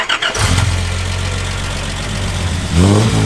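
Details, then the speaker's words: Cheapest Nissan Patrol 4x4 bought off Facebook Marketplace, started and revved while held on the footbrake because the handbrake doesn't work: it catches quickly, settles into a steady low rumble, then rises cleanly. Loud but healthy start and rev. "I'm actually shocked with how good this thing sounds. We're gonna get Lachlan to start it up so you can hear this thing roar. It's next level."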